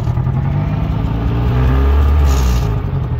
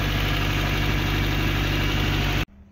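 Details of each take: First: 1991 Honda Civic RT4WD EF wagon driving under load, not overheating; the engine pulls with an uneven, stumbling misfire. Owner suspects something lying on the spark plug wires at the distributor disturbed a wire. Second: 1991 Honda Civic RT4WD EF wagon, first start after months sitting, with a past overheating and coolant bubbling problem, suspected head gasket, and some oil burning; steady, even smooth idle with no clatter or ticking, sounding healthy.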